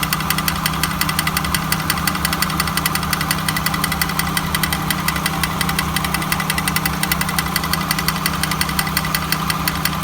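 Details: 1999 Honda Accord at idle: fast, even rough chatter and ticking over steady idle hum; grinding noise, cause unknown.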